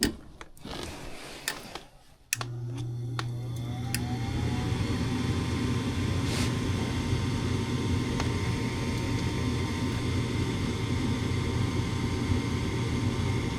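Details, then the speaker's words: Furnace with intermittent no-start (owners had been flipping the breaker); on restart a few clicks, then the inducer spins up to a steady whir with no burner whoosh despite 26 V at the valve: bad gas valve not opening. "Nope, gas valve's not opening."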